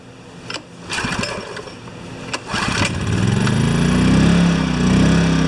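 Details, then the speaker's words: Yamaha 1000-watt generator after reaming carb jets up a small step and new gaskets, choke on, fixing idle surging: pull-start clatters then engine catches and holds even steady note at maximum load, no hunting or surging; normal running. "let it run for a little while this is maximum load"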